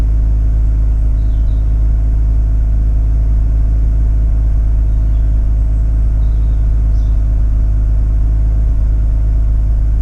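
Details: Mazda RX8 rotary, cold start: after a few seconds of misfire it holds a raised cold idle with steady deep rumble and no audible misses; warm it later misfires at low rpm. Cause found: incorrectly wired injectors.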